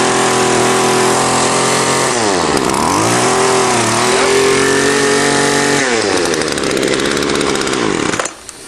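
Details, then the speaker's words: Garbage-picked string trimmer after full carburetor teardown, blowing out and scratching the varnished metal strainer screen clean: crisp two-stroke buzz revs up and drops back cleanly several times before shutting off; running healthy, normal running. "scratched it because they get all varnished up and that cleans them out blew it again and she's working good let's see"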